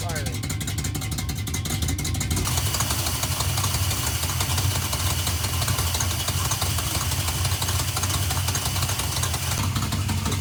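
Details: 1971 Plymouth Satellite 318 with a newly fitted Thermoquad carburetor and the secondary pull-off rerouted to manifold vacuum: an uneven, stumbling rough idle, running terrible; adjusting the idle mixture next. Diesel in the fuel was later found.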